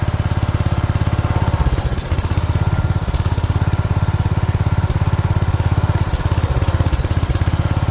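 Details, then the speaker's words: Rare 1970 garden tractor barn find, first run after sitting: loud low chugging about 200 beats a minute, uneven and stumbling with gaps; owner suspects fuel starvation, possibly the fuel filter style not suiting the fuel pump, despite plenty of fuel. "So, as you just heard or saw, it is running. Um, sounds like it's not getting enough fuel."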